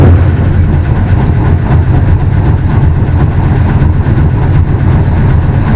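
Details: Willys DJ5 with new 4-into-1 exhaust with collector and over-axle pipes, in an enclosure: steady, even deep exhaust rumble with smooth regular beat, no misses or knocks; engine running cleanly.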